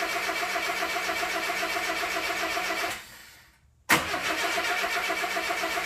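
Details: 1962 Mercedes-Benz 180c Ponton (W120): starter cranks evenly in repeated bursts but never catches; spark and fuel pump verified working; crank, no start.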